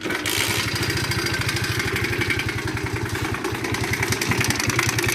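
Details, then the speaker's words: Shineray 50cc motorcycle engine at idle with rapid uneven ticking, about three beats a second, over a buzzing idle; suspected timing chain, possibly connecting rod, not yet opened to confirm. "bom então rapaziada estamos aqui com mais um dia estou aqui com essa cinquentinha shineray do nosso parceiro irmão felipe ela tá com uma batedeira no motor"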